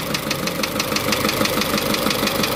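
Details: Isuzu Elf 4HL1 ECU diesel that previously cranked without starting, now repaired: steady idle with even clatter, roughly seven beats a second, no misses or stumbles. Running normally.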